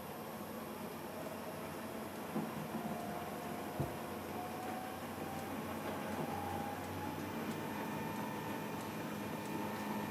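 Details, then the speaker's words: South Bend 10K lathe on a VFD, first run after 5 years sitting, factory settings: quiet even hum with faint steady whine, no knocks, rattles or buzz; runs smooth and healthy. "I don't hear anything out here I'll have to check the camera but oh my goodness this is smooth as silk"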